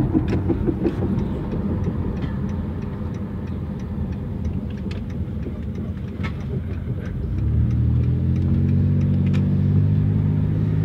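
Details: 1999 Dodge Grand Caravan, 164,000 miles, accelerating: rough drone rising with road speed under load; automatic transmission failing, later replaced.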